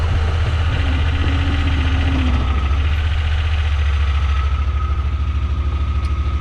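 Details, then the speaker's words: Honda Pioneer 1000-5 side-by-side after a spark plug change to fix rough running: low, steady rumble while reversing and idling, with no misses. The new plugs fixed the rough running. "No missing yet. Everything's running smooth. Back forward. Idling good."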